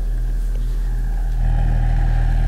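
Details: Alesis M1 Active MK2 powered speaker, the known-good right speaker, playing a test tone after repair work: a steady deep hum with soft port air rush. Clean and even, working normally.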